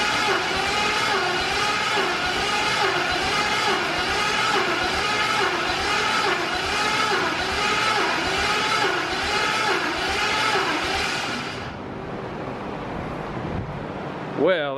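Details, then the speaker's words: RX-7 engine that sat two years, cranked again while watching for oil flow: a strong, even starter whir with a steady pulse for about twelve seconds. The cranking speed seems fine, but no oil is seen yet. "it sounded like it was turning over pretty decently there so i don't think that's it"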